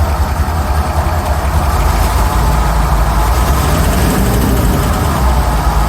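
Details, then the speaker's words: Rolls-Royce Silver Shadow V8 idle just after replacing spark plugs: deep steady rumble, much smoother; previously running on fewer than 8 cylinders, still shaking a bit, which is not normal, but much better. "let's see how the car runs now oh it does sound a lot smoother huh it's still shaking a bit"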